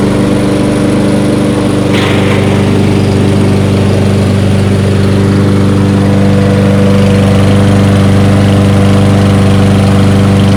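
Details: Toro 22-inch Recycler walk-behind mower, single-cylinder, reassembled after being found taken apart, good compression, fresh fuel added: smooth, steady drone with even pitch and no misses or knocks; running healthy.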